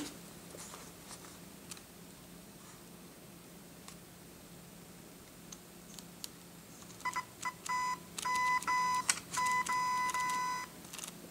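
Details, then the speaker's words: A flash zoom head is compared for noise against a Shanny SN600N. Short bursts of a thin, steady buzzing whine come from the zoom motor driving normally. "so I mean that in a quiet environment is is almost unnoticeable of course you hear the clicking"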